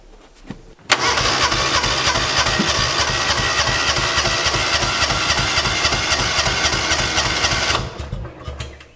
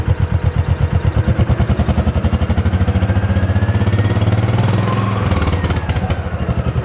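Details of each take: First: 2005 Kawasaki Mule 600 after carburetor cleaning: about eight seconds of steady starter cranking that never catches; no start, owner suspects it needs a new spark plug. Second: 2005 Kawasaki Mule 600 after fitting a new spark plug (old one bad, a spider web was found): steady, even low thump at idle with no misses or stumbles; earlier misfire and no-start fixed.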